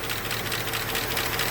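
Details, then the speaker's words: Almost 20-year-old Chevrolet 5.3 LS truck that quit on the road: fast sharp clatter over the idle like lifters tapping dry; owner thinks not a lost lifter but lost oil pressure, suspecting oil filter bypass. "i don't think it's missing it don't have it don't sound like i've lost a lifter it's just clattering like i've lost all my oil pressure"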